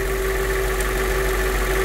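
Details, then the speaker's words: Mercedes CLK 500 (W209, M113 V8), after fresh fuel and lubricant for a crank-no-start problem; it now starts on the first try and holds fuel pressure around 60 psi; steady, smooth, even idle with no misses or knocks: normal idle. "so as you can see the car starts with the first start which is a very good thing"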